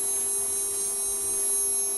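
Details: CNC spindle motor bench-tested before return to customer: steady even hum with a constant high whine on top, no knocks or grinding; spindle sounds healthy.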